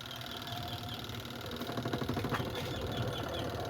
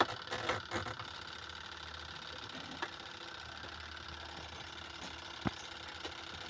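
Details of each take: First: Beltless spin dryer loaded with clothes after repair: steady whir with soft low rumble, earlier squeak gone; suspension fine, fault was in shifting part; bearing or belt initially suspected. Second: Washing machine spin dryer, loaded with clothes, that is noisy and hard to turn: steady high squeal over a low hum while spinning; the cause is suspected to be the bearing or the belt underneath.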